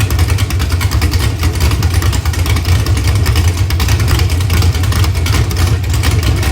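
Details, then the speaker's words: Freshly built 6.0 LS V8 for a 2006 GMC Yukon, run on the engine stand: LQ4 block, gen 4 flat-top rods and pistons, 243 heads, NK custom cam (220/230, 108 LSA, .595 lift), long tubes. Deep lumpy burble revs cleanly and drops back smoothly; healthy, very rev-happy. "Sounds awesome. This is probably one of the most rev happiest engines that I've put together yet."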